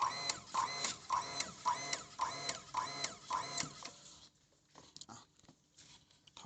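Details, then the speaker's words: Hitachi water pump with tap opened slightly: pump clicks on and off in quick bursts, a bit under two per second, then quiet; short-cycling from failed pressure tank, fixed by replacing tank. "เปิดน้ำนิดเดียวนิดเดียวครับโอเคครับเห็นมครับมันจะตัดต่อเร็วๆนะครับเหมือนเดิมนะครับกระบอกไคิวเสียถอดปั๊กได้เลย"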